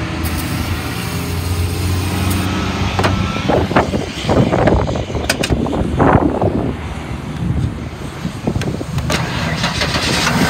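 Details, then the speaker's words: 1994 Ford F-150 XL, sitting out of service for about three years, fed starting fluid: cranks steadily, then fires in ragged, uneven bursts for a few seconds and dies; motor sounds good, bad fuel pump or bad fuel suspected. "all right that's all that's all she's gonna give us i'll take it the motor sounds good may just have a bad fuel pump"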